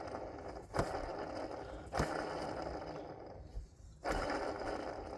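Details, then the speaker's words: BMW E60 520d N47 clutchless Denso 6SEU14C AC compressor pulley spun by hand before removal: coarse, gritty scraping rumble fading as it coasts, from a worn, extremely rough pulley bearing needing replacement. "Definitely sounds extremely rough. So, it's a good call. We need to pull this pulley off."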